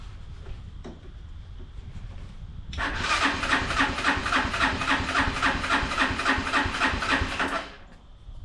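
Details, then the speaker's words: Unidentified, probably Chinese, four-wheeler with a metal tank cranked by screwdriver across the solenoid on a jump pack with choke and starting fluid: an even starter crank, about 3.5 beats a second for five seconds, never catches. Bad-gas smell; carb jets suspected clogged. "Cause I don't want to take it off if I don't have to, but I'm pretty sure the jets are going to be clogged. I can smell bad gas right there."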